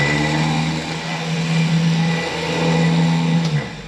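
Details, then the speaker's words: Electric winch, starter-type motor with end bearings greased, bench tested on battery leads: steady even hum at one pitch for about 3.5 seconds then clean stop; normal winch motor running. "let's try the winch out whoa look at that winch in"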